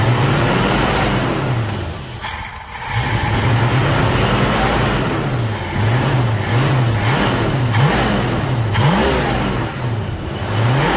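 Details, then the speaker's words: 1966 Ford Mustang 289 V8 automatic, running super rich: revs cleanly and settles to a steady, even idle with no misses or knocks; runs well before a test drive that revealed some problems. "so I can hear it runs on pretty good"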